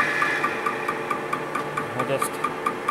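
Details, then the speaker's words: Welded displacement hydraulic cylinder with no piston, seals only in the head, being slowly turned on a lathe: sharp regular knock about twice a second with each slow turn, something loose inside the cylinder, source unknown. "so something internal of the cylinder is making that knock"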